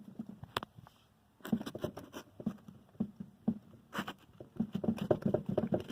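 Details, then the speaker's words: Chevrolet Spin on a jack, front suspension rocked by hand: dull, irregular knocks in bursts from large play; suspected faulty strut top mount or its bearing. "Tem uma folga aqui. E é grande, não é pequena. Agora imagine isso daqui passando num buraco, numa valeta, com a suspensão ativada. Esse barulho fica bem alto, certo?"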